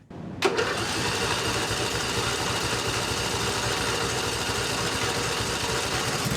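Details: Briggs & Stratton 24HP V-twin lawnmower engine after full carburetor cleaning for a surging problem: brief clack as it catches, then steady, even run with no hunting or surging.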